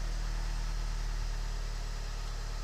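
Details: VW TDI with DSG, about 192k miles, first start after replacing the noisy dual mass flywheel, tensioner and alternator pulley: steady, even diesel idle with smooth low rumble, no knocks or flywheel chatter; sounds healthy.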